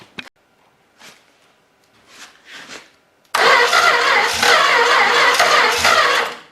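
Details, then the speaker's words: Long-sitting 318 engine, starter wire jumped straight to the battery: after cranking bursts it catches and roars for about three seconds, then dies. It fires but won't keep running. "well we got it to fire see if we can dump a little more gas in it can actually keep it running"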